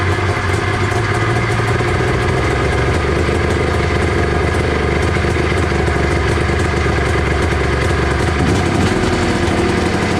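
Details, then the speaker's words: 1993 Arctic Cat Thundercat 900 two-stroke started on the first pull: a rough, uneven idle with a raspy, spitting chuff on every stroke. There is a major exhaust leak, and the carbs still need going through. "well it runs we got some major exhaust leak issues to deal with um and the carbs are obviously gonna have to be gone through but it runs man"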